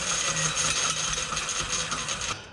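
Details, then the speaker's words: Home-made electric mountain bike, 8000W hub motor converted to mid-drive through bicycle chain and gears, on high range: rapid metallic ratcheting over gear whir, stopping abruptly; freewheel spins both ways and derailleur also failed. Failed freewheel. "Oh, yeah. So the freewheel and the derailleur, or the chain selector, whatever the heck this thing's called, both gave up at the same time. Yeah, it looks like the freewheel gave out, but I have an idea on how to fix it."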